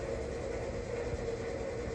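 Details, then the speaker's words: Used Wood Gun downdraft gasification wood boiler from Alternate Heating Systems, pump running and calling for heat, garage around 74-75°F: steady even draft fan motor hum, no surging or rattling; normal draft fan running. "the pump's running it's calling for heat right now so everything's good she's still running you can hear that fan motor running"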